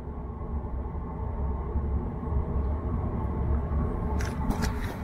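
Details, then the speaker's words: Portable diesel heater after cleaning a clogged atomizer screen (owner first suspected soot buildup), running at full with steady low burner and fan roar, no sputtering or pulsing; normal, quieter than before the repair. "now it's going full but that's that's normal that's supposed to be like that just not as loud as it was before"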